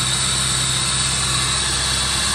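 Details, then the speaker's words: 1985 Chevrolet Corvette C4, sat about 2–2.5 years, idling: a strong continuous airy hiss over the rumble, a massive air leak up front. "the massive air leak up front"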